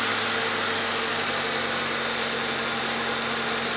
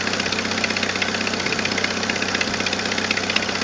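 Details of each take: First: Normal idle of a 1997 Jeep Wrangler TJ 2.5L after repair of the exhaust manifold leak (new manifold gasket, missing stud replaced, 4.0L throttle body fitted): steady, even, calm tone, no ticking or puffing, sounds sealed and healthy. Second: 1997 Jeep Wrangler TJ 2.5L at idle before repair: quick, regular sharp ticking about two to three per second from a leaking exhaust manifold gasket with a missing manifold stud; fixed by replacing gasket and stud.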